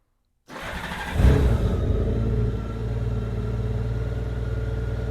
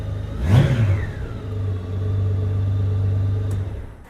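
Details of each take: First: 2002 Honda GL1800 Goldwing, 70,335 miles, due an oil change: starts quickly and settles to a smooth, steady idle, engine sounds good, but the exhaust is louder and rawer than stock because of drilled holes in the mufflers. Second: 2002 Honda GL1800 Goldwing, 70,335 miles, needs an oil change; exhaust louder from a hole drilled in a muffler; sharp throttle blip climbs cleanly and settles smoothly with no knocks or rattles; healthy engine revving.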